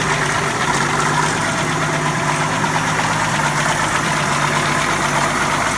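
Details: 1981 Jeep CJ7, 4.2L 258ci, supposedly rebuilt engine: even idle with a faint repeating knock; owner suspects rod knock or spun rod bearing but is also checking valve train and timing chain, unconfirmed; oil drain showed nothing concerning.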